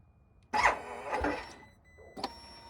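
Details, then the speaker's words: Harley-Davidson Pan America motorcycle, first one delivered to the dealer: two short, high-pitched starter whirs spin freely and the engine never catches. The starter clutch is slipping, causing failed starts; the dealer later replaced the starter clutch with an updated part, ending the failed starts. "they did finally get the approval to replace the starter clutch with the updated part so it didn't have it as it left the factory is what you're saying now"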